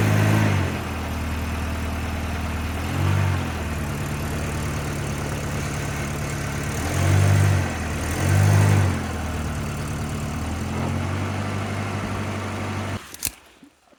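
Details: 1989 Volvo 740 GL saloon left in a field for at least 3 years, started straight up with compression confirmed and no coolant in it. A steady, low idle hum that holds even with a few gentle swells and no misses or knocks. A normal idle.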